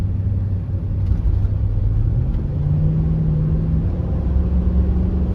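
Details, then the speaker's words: Cheap Infiniti QX56 V8 bought with radiator coolant leak and check engine light, after repair driven to check a previous miss: even, steady low rumble under way, no stumble; no misfire, slight belt or pulley noise remains. "The engine sounds good. I don't hear a miss, so that's good."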